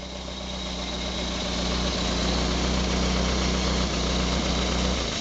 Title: Premier démarrage moteur Renault Colorale Frégate préparé